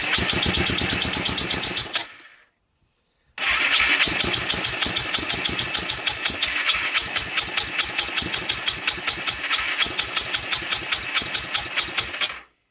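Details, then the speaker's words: 1998 Honda TRX300EX quad after a carb swap (PZ27), valve adjustment and a portable CDI box, started with starting fluid after an engine rebuild by a previous owner. It catches, dies after two seconds, then restarts into a choppy, uneven popping run. It seems to run very rich, possibly flooded; owner suspects wrong timing. "now the problem it has if you remember the last time I started it up it just seems to be running crazy rich right"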